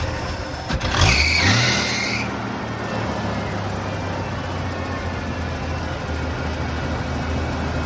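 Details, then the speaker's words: 1980 Ford F100, first start after 20 years sitting, mystery oil burning out of cylinders: engine catches with a quick rev, settles into steady, even V8 idle with no knocks or misses; normal idle. "the mystery oil is burning out of the cylinders that's fine it sounds really good i mean i'm shocked how good it sounds absolutely sounds amazing"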